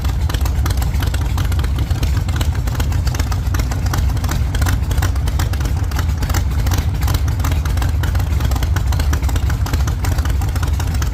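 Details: 1948 Chevy Fleetline small-block Chevy V8, 4-speed, after a fix for push rods breaking on the first burnouts: deep, loud, even rumble held hard at high revs under full burnout load, no knocking or clatter, pulling strong and healthy.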